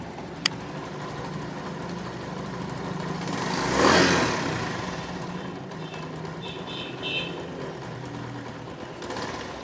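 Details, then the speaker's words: Chinese motorcycle that stalls repeatedly at low idle: uneven, stumbling, misfiring idle with irregular knocks and a brief rev, then dies when throttle is released; carburetor air-mixture screw set wrong. "ये bike एक तो slow में बार बार बंद हो रही है। अगर slow में बार बार बंद हो और स्लो में मिसिंग करे तो एयर मिक्सचर एडजस्टमेंट जो है वो ठीक नहीं है। जैसे कि अभी आप देख रहे हैं बाइक जो है वो काफ़ी सारी नॉकिंग कर रही है।"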